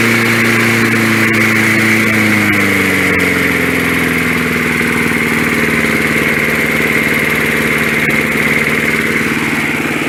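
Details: 1965 Briggs & Stratton 82906 3 hp wind-up-start engine, sat for years, first start after only fuel and oil added; on full choke, main jet possibly clogged. Kicks back on compression, catches fast then settles to a steady, even run with no misses or knocking; normal running.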